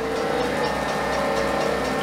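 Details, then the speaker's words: Homemade Van de Graaff generator running with steady motor hum and light, regular ticking as the latex belt hits the upper cone; owner hopes fixing it improves performance. "you can hear the ticking off the belts hitting that upper cone so I'm hoping the machine will perform better when I fix that"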